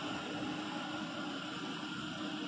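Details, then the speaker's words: 2014 Jeep Grand Cherokee V6 after camshaft, rocker arm and lifter replacement for engine noise: steady, even hum with a faint light whine and no ticking or knocking; idles smoothly. "Evet gördüğünüz gibi motorumuz da yatıyor gün sessiz motordaki da motordaki şaka zamanlar gitti ayak düzgün çalışıyor"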